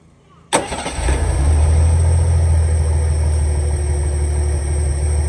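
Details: 300 inline-six after a carburetor rebuild (had been running too rich and fouling plugs), idle mixture and idle screw just readjusted: catches immediately and settles into an even, steady low rumble at idle, no misses; running healthy.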